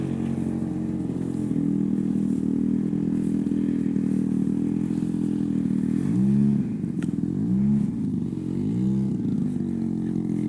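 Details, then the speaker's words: Giant-scale RC warbird's small petrol engine running in cool air, first flights of the season; steady drone whose pitch sags and wavers in repeated dips, a rich burble rather than a miss; high end possibly open too much. "Yep, she's rich now. But that's an engine barble, that's not a miss."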